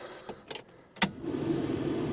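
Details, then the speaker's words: Holden HK with new heater box fitted, coolant topped up: light clicks, then the heater fan switches on with a soft, steady whoosh, nice and quiet as it should be. "That's how it should be, nice and quiet."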